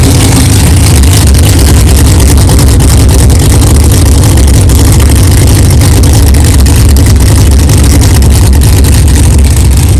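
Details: 1964 Chevelle 383 stroker V8 at first fire-up after an 8-month build, not yet warmed up, 63 lb oil pressure: deep, steady rumble staying even, no knocks or clatter; good oil pressure, healthy normal idle.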